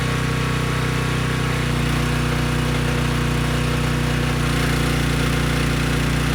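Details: Briggs & Stratton Storm Responder generator after cleaning a dirty carb, running on a test tank under a 3000 W load: steady, even drone with a constant low hum, no misses or surging; normal running under load.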